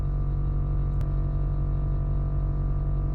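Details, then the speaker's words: Nissan GTR R35 with newly installed Air Lift air suspension, raising to max height (~110 psi): steady low electric hum with faint even whirr, no knocks or rattles; compressor filling its tank normally, stops shortly. "so that noise there if you can hear it's just the tank filling up with air but um that noise will go it's only there for a short time so it fills up all sides off the airbag"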